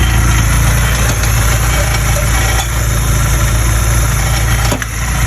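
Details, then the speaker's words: VW Mk1 Golf/Cabriolet with G60-swapped 2.0 16v engine idling loudly with a dense, buzzy rattle that travels through the exhaust; its exact location front or back is unclear. "also got something to do with the back i think because you can rattles right through the exhaust"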